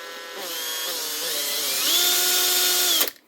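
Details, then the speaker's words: Makita 18V brushed drill, 2021 and lightly used, tested at low speed to check the armature: a clean whine climbs smoothly through speed steps with no jitter or crackle, so the armature is fine. "If you hear any jittering, generally it's a sign the armature is bad, but that one is actually okay."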